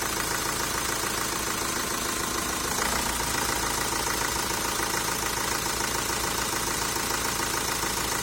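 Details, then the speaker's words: 1.9 dCi diesel. Idle clatter not holding steady, revs dipping and hunting at idle though driving feels fine. Cause not confirmed. "От коли просто машина стоїть на холостих він глючив в роботі вроді коли їдеш там особо це не відчувається якби і не дьоргається Нічого просто а на холостих от я заводим машиною кидає трошки обороти"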